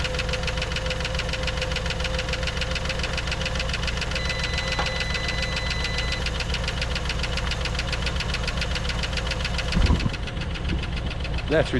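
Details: 1954 Dodge Coronet V8, stored 42 years in a garage, cold first start: rough idle with fast, light ticking of three or four per second; lifter tick, absent on the second start.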